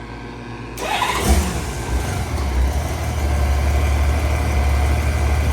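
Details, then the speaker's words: 1988 Honda Goldwing motorcycle bought used: catches quickly on the starter and settles into a steady, even idle with no ticking or misses; engine sounds healthy overall, though a few things need tightening and the rear brake needs bleeding. "So, but overall the engine sounds healthy."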